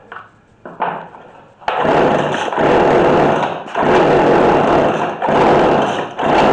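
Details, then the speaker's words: McCulloch Mac3216 32cc chainsaw with 16-inch bar. The high screw was backed out and the low screw turned in a little. It revs in uneven surging bursts and stumbles; the low-speed mixture is over-rich. "Getting close. So I think it was just out too much. So we take the low, go into a quarter turn."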